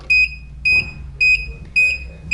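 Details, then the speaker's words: Golden Companion 4-wheel mobility scooter on power-up: five short evenly spaced beeps (five flashes) and no driving, meaning the freewheel lever is in neutral; raising the lever re-engages the drive. "and if you hear this sound that beeping sound it's five flashes and the scooter is not driving that means you're neutral"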